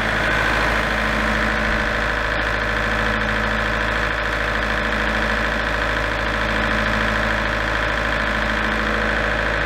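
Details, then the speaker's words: Large diesel generator set from auction, after repair of the fault that shut it down after about 10 seconds: a smooth, constant diesel drone with a steady tone under a settled load. Normal running. "but uh I think you got it at a good price so and it all seems to be working now then so yeah another good fix on this one I think"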